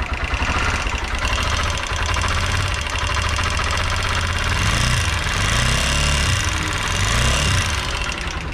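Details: TVS Apache RTR 160 4V BS6 at idle: fast light ticking over the engine note throughout; engine ticking noise, cause not found.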